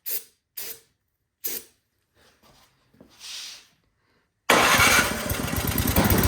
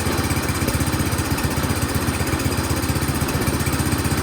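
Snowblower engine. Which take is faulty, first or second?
first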